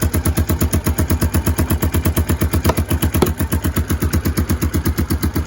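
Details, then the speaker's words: Kawasaki KLF300 Bayou 4x4 ATV with airbox sealed, idling smoothly, then coming off idle: sharp bangs about three per second over a lumpy low thump, popping back like a horrendous misfire. Owner suspects ignition timing. "So we're back to this kind of, sounds like a horrendous misfire when what? When it comes off of idle."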